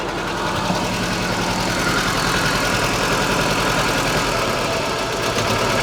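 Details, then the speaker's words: Żuk engine after exhaust valve seat repair on cylinder 4 and bent pushrods, first start: lumpy uneven idle with stumbles and skipped beats, not running on all cylinders; owner thinks it is ignition related, possibly needing new plugs and wires. "oh yeah still not running on all but I think it's ignition related"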